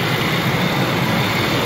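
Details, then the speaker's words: 2004 Ford F150 5.4L Triton V8 after VVT solenoid replacement: steady, even roar settling into a smooth idle with no knocks, ticks or stumbles. "okay here we go this sounds good sounds good oh yeah yeah this is sounding just fine coming down on the idle now smooth man smooth"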